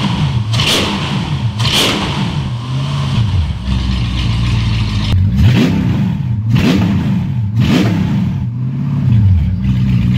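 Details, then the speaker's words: Mercedes E55 V8 after rebuild, no catalytic converter, exhaust cut off, no radiator, nearly 90 degrees: loud, crisp revs blipped about once a second, climbing and falling cleanly with no knocks; healthy engine. "you guys are wondering what I need 55 engine sounds like without the park converter and the old exhaust well there you go"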